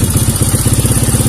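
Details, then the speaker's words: Kawasaki KLX 150 vacuum carburetor, throttle opened slightly with the slide spring removed: lumpy pulsing single at low revs that won't rise or settle, unstable; fitting the spring lets revs climb directly. "Oh, so, Das Geräusch ist wie Breerebet. Es ist nicht stabil wie ein Scap. Es sollte sich heben. Es hebt sich nicht."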